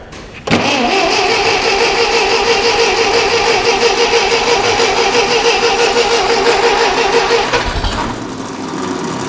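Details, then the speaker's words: Ferguson TEA20 barn-find tractor after major engine work, with a new distributor condenser and a temporary fuel can, cold start on choke with a little throttle: steady cranking about three turns a second, catching weakly but not yet running. "Bit of choke. Oh, might do a little bit of throttle. Come on, girl."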